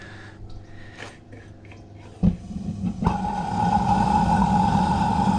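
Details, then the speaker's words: Propane gas forge burner sputters and puffs unevenly, then catches with a thump into a steady roar after the valve is reset; tank freezing over more as it empties is noted. "now if you hear it sputtering like that you just need to reset the valve like i just did"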